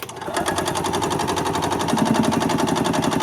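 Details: 1986 Yamaha G1 gas two-stroke golf cart that shut down while driving, with fuel smelling like diesel: fast, uneven chuffing that never settles into a self-sustaining run even after priming the fuel pump; cranks but won't start, carb later pulled for cleaning.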